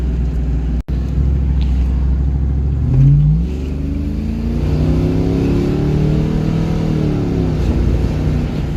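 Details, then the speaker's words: 1994 Ford Mustang GT convertible, first test drive after getting it running: engine pulls hard and strong, pitch rising and falling smoothly as the transmission shifts cleanly, no stumble or slip; check engine light on, thermostat housing leaking. "Pulling hard and strong, transmission is shifting smooth."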